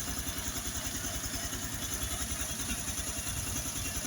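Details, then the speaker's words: Honda Biz 110i that was hard to start cold and held idle only when hot from low compression, after the head was removed and the valves cleaned and lapped: steady, even idle around 200 beats a minute with light valve clatter. Normal, factory-like idle. "Agora o motor tá com um barulho original de fábrica, pessoal. A lenta aí funcionando direitinho, ó."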